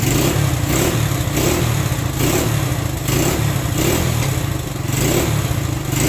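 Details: Honda SL100 single in a 1975 SL125/XL125 frame, worn out, cold, choke almost fully closed: rough uneven idle dipping about every second; carburetor fault, won't rev unless choke almost fully on.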